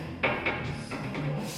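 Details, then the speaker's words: 1989 Ford Mustang GT 5.0, 5-speed, on a lift: rocking the front tire by hand gives loose knocks and clunks with each push, showing play from a worn front wheel bearing; the other side is the same. "Alright, you guys, we got the car on the lift and I was wiggling the fucking tires and lo and behold, I got bad bearings."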